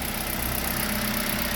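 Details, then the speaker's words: Kia Rio G4LC engine after rebuild, started and running with no warning lights after the exhaust manifold was tightened (no oil pressure on an earlier start): smooth, even idle with a steady low hum, no knocks or ticks; quiet, healthy. "it's running everything is running look at that there no lights that this Tru so yeah we're good to go"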